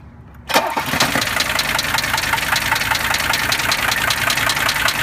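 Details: 1982 Mercedes W123 300D turbo diesel catching and settling into idle with loud sharp regular knocking and ticking over the diesel clatter; cause still being diagnosed.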